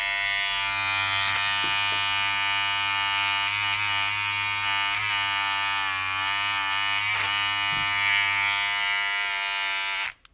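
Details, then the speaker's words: Remington MB-200 battery trimmer, about five years old, after repair and bending a part back into place: smooth steady buzz with no rattle, not perfectly quiet but like new, then switches off; normal running. "mean it's not perfectly quiet but it's quite it's just like the day when it was new"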